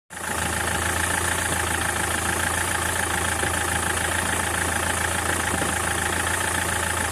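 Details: SsangYong Kyron diesel: steady idle with uneven knocking about three times a second; worn dual-mass flywheel with excess play, to be replaced.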